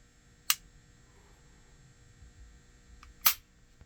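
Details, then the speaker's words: New Smith & Wesson CSX E-Series pistol, unloaded, dry trigger reset after take-up to a firm wall and clean break: one crisp click, not the three-click reset of the previous flawed pistol; trigger resets properly. "Just one click, not 3 clicks like the last one. So definitely a huge improvement."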